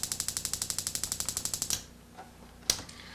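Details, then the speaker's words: RV water heater/refrigerator control board (part 230587) on Dinosaur Electronics board tester; rapid sharp spark ticking about eleven a second for under two seconds, then stops; sparks but no gas valve output, board faulty. "there's ignition sense a flame that's going to keep the igniter going if that circuitry is working properly but there is no valve light which says this board is definitely faulty"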